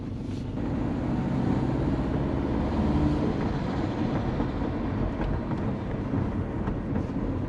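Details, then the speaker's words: Subaru Forester SF5 turbo on a drive after an exhaust change, an intake job and power steering work: the engine runs smoothly under even road and exhaust noise. The cam is now audible, with less rattle in the exhaust; it sounds healthy. "You can hear the cam now, it's not so rattly in the exhaust."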